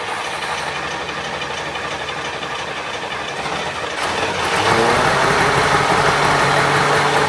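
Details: International Scout on a newly fitted carby; the mechanical fuel pump delivers too much fuel, and the owner wonders if the jets are too big. Uneven, lumpy idle with a stumbling beat that roughens as revs climb; running very rich.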